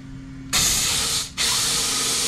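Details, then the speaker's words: Husqvarna K970 cut-off saw with rebuilt engine, checking the air intake passage by blowing through it with engine off; burst then steady rushing air, passage clear. "so that means when you blow like that you can hear the air coming out"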